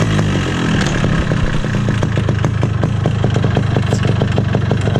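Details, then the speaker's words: 2002 Yamaha RX King two-stroke, stock, at idle: loud, steady metallic clatter ticking with engine speed over the exhaust; owner suspects worn piston or loose connecting rod, not confirmed. "Ya maaf aja kalau misalnya Suaranya berisik Karena berisik berisiknya mesin banget"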